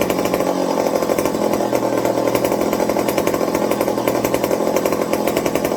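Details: McCulloch 55 gear-drive chainsaw after a Scotch-Brite pad fuel tank wick and a 090 carburetor swap to cure fuel starvation: a crisp, steady two-stroke buzz at an even pitch with no hesitation or surging; running clean.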